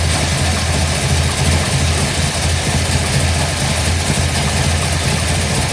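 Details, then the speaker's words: 1955 Bel Air with freshly installed 572 big block (860hp), hydraulic roller cam, new headers, 40 series Flowmasters run to rear: first fire-up, deep steady even V8 idle, brief initial tapping gone; ECU still learning; normal idle. "Well, as you can see, sounds great. It's going to run great."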